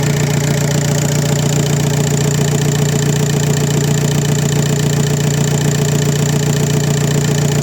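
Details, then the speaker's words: VW Passat B5 FL 1.9 TDI 130 hp automatic, misfire on cylinder 4 and hard morning starts; after replacing unit-injector seals only, even steady diesel idle with a smooth low drone, no misses or knocks; all injectors working, corrections near zero; normal idle. "pracują, a korekty nie ma tragedii. Kóra chodzi równo, korekty wiadomo."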